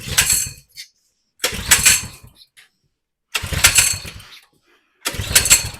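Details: 2020 Coleman 100cc minibike that tipped over and lost its oil, slightly hydrolocked from too much fuel: four short bursts, each catching under a second then dying. Fires briefly, then stalls.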